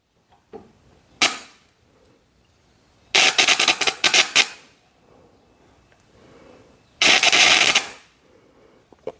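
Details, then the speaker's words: Homemade gasless MIG welder powered by two 7 Ah motorcycle batteries in series (12.9 V + 12.8 V): three sharp crackling bursts with pauses, short arc strikes laying a tack spot; normal welding. "Aí, pessoal, já deu um pontinho, ó. Vou desligar aqui para não fechar curto."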